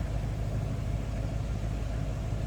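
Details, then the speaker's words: 1959 DeSoto Firesweep Sportsman, 361 V8 with push-button automatic in neutral, now warmed up and heard from the rear: low, steady rumble with an even, unhurried beat and no ticks or knocks, idling quietly and smoothly. "And now we're warmed up. Sounds good. Step around the back so you can hear it run, or maybe possibly hear it run. It's pretty quiet."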